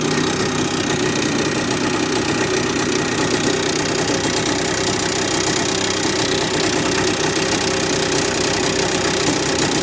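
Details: Honda NSR50 two-stroke: fast, even metallic knock through the idle; owner suspects the crank big end or balancer bearing.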